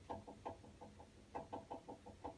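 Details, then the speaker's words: A quiet, uneven run of sharp clicking ticks from a water heater, about four or five a second in clusters, abnormal ticking of unknown cause. A replacement part has arrived, but the owner doubts it will fix it. "And here's how wonderful your water tank sounds. Don't think this is right."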